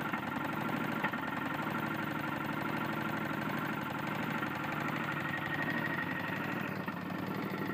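Rough-running mower engine with a steady hard knock riding the firing beat, the sound of a worn connecting rod.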